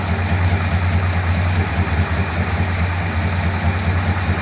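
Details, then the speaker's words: 1957 Ford Thunderbird V8 with an original-type float bowl carburetor reinstated in place of old mods: it ran okay, then the low idle turns lumpy and uneven, wavering in strength. It won't rev, isn't out of fuel, and the owner may turn the mixture screws in. "I've got more work to do but that's oh oh oh what's she doing now that seem quite right does"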